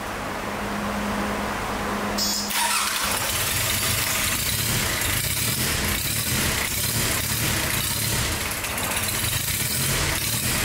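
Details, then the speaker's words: 34-year-old unused Sabb M4 marine diesel after fuel system work (electric lift pump replacing the low-pressure pump, injector pump rebuild), water-cooled via hose: it catches and settles into a steady, even knocking beat. It now starts and runs smoothly. "there you have it after a long and challenging Journey the engine is finally running smoothly"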